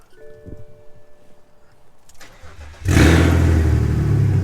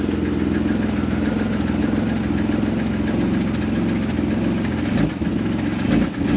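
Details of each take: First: BMW with a newly installed M54B30 inline-six, first cold start since the swap: quiet, then the starter catches and it fires straight up into a steady, even fast idle; healthy cold start. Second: BMW with an M54 B30 engine, sat about two and a half years: rough idle with a steady loud internal knock under the exhaust, harsher on light throttle blips; engine knock.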